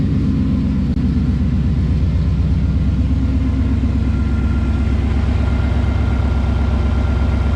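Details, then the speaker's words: 2012 Boss 302 V8 at first start after long tube headers, a new intake and a Lund tune: deep, loud, even lumpy idle with no ticking or puffing leaks, though the x-pipe is misaligned and rattles a little; the engine sounds healthy. "everything sounds good up here no leaks we'll have to let this coolant get the air out of it it sounds good i don't care a single issue"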